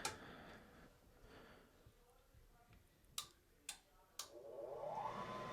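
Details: Rheem water heater draft blower after pressure switch replacement (new switch triggers at much lower pressure; old one failed, lint from laundry room): three sharp clicks as switch closes, blower hums up steadily to speed, starting normally; burner then lights.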